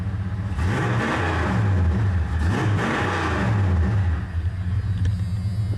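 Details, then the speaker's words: V8 truck running again, idling around 840 rpm before warm-up (about 775–800 warm): rumbles, rises and falls crisply with each blip, drops back to a smooth idle; healthy throttle response. "She's that good, man. I'm not going to lie. That thing just gets her done."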